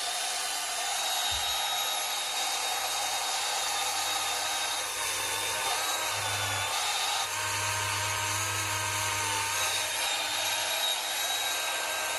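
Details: Proxxon rotary tool rescued from trash, test run after new cable and bearings: high steady motor whine with a faint uneven rattle, present only in certain positions; later traced to a worn-out carbon brush.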